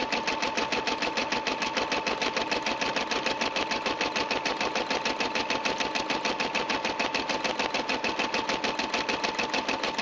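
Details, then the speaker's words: Brother SE350 embroidery machine with the J foot: even, rapid needle stitching at about 200 strokes a minute with a steady motor hum, smooth and regular, a healthy embroidery run. "listening to the machine you can sound hear the sound is nice and even stitches very well it's been a Dependable Machine"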